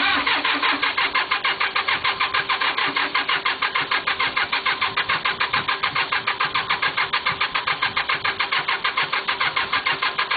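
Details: Cub Cadet diesel on a cold start after the glow plug indicator coil glows red. Steady starter cranking for about ten seconds but it never fires; owner expects it will probably start after sitting an hour or more and re-glowing. Cause unconfirmed.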